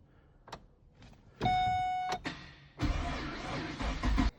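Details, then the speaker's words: Barn-find Holden VE SSV Commodore ute V8, stored over 3 years, old fuel drained, fuel pump relay pulled, out of gear: even starter churn about a second and a half without firing; healthy cranking to build oil pressure. "So, let's see if it see if it cranks over. She's out of gear."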